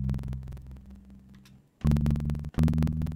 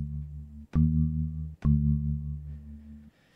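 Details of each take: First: Music playback via VoiceMeeter Banana with Focusrite Scarlett 2i2 as hardware out, default settings: sharp evenly spaced crackling clicks caused by buffer size; larger buffer spaces the cracks further apart. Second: Focusrite Scarlett 2i2 via VoiceMeeter Banana with buffering set to 288, sample rate default: steady synth tone from Ableton plays clean, no crackle, after crackling at default settings.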